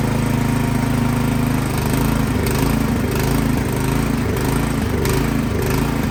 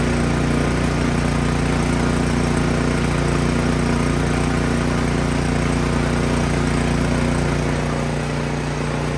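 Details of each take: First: Craftsman snowblower engine that started then died, after spraying carb cleaner into main jet without removing carburetor: speed rises and falls every second or two, hunting and surging; something still clogged in carburetor. Carburetor surging. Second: Craftsman snow blower single-cylinder engine after removing and cleaning the carburetor: steady, even putter about 220 beats a minute with no surging or stalling; runs normally.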